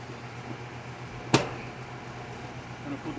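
Outdoor AC unit humming steadily with a low, even drone and no loud buzz.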